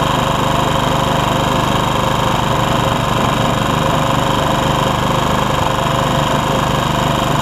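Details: Honda HR194 push mower after replacing ignition coil (no spark before): steady, even running about three to four beats a second, no stumbles; throttle a little lazy from stretched governor spring; normal running.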